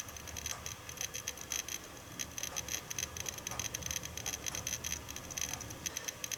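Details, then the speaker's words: Seagate Barracuda 7200.10 500 GB hard drive, about 10 years old, bundled with a Synology DS415+ NAS, unedited raw audio while writing a 10 GB copy: rapid, irregular crackly ticking over a faint spin hum. Very loud head seeking, cause unknown. "hopefully you have heard enough of the hard drive and i hope you now understand why i've appropriately named that drive guide your counter"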